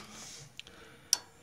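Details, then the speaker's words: Goodman furnace not working, call for heat: two sharp relay clicks in a quiet room and no motor spinning up; the induced draft blower never starts and the board shows 3 flashes; motherboard later found faulty. "Okay, right here it says 3 flashes. The induced draft blower runs continuously. Well, it's not."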